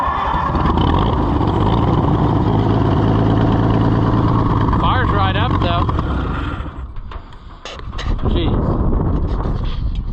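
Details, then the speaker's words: Oliver 70 tractor after a carburetor rebuild, owner suspecting poor fuel delivery: rough, uneven beat falters and drops away, then sharp pops as it stumbles; backfiring while running badly. "let's set you down oh [Applause] backfire conditions are worsening o too [Applause] much"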